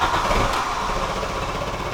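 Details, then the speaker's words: VW Golf Mk3 after new single-port injection and distributor: very slow, uneven putter sagging toward stall, idle around 200 rpm; rough low idle, cause unclear. "no that doesn't that doesn't sound great at all it's running at like 200 rpm right now"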